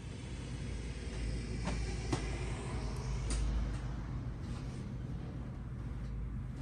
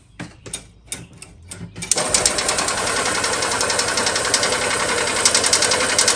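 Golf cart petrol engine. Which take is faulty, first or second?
second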